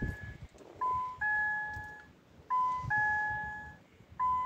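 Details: 2014 Ford Mondeo Mk4 keyless, after a battery swap (new fob battery, fuses checked, battery disconnected, ground cleaned). Three two-tone dash chimes about 1.7 s apart in a quiet cabin: immobilizer active and the car won't start. Owner suspects the control unit forgot the keys.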